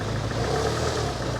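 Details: 1985 Honda Accord with 62K miles, long stored, only about 1.5–2 gallons of fresh gas added to old fuel: a low idle that dips and wavers and never settles; rough idle.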